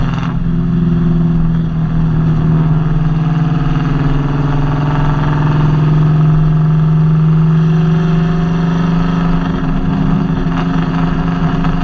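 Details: Nissan Kouki with VH45DE V8: steady low drone with uneven stumble about four times a second that doesn't smooth out; engine misfire.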